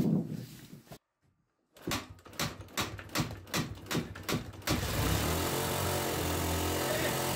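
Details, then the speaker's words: Honda XLR 125 (JD04) single, restarted after 5 years stored, idle adjustment nearly closed: slow cranking at two or three strokes a second, then it catches and holds a fast, steady idle that never settles; idle very high. "Bon, on a ralenti très très haut, mais on démarre. Yes. On a réussi à démarrer la moto."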